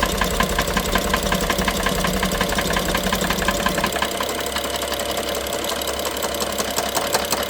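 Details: BMW F07 with N55 engine: fast, uneven metallic ticking and knocking at idle, about three per second, loudest by stethoscope at cylinder 1 injector and mid-engine near an electrical connector; worsens with throttle, sometimes stops for 3 seconds; timing chain inspected and looked OK; cause unknown.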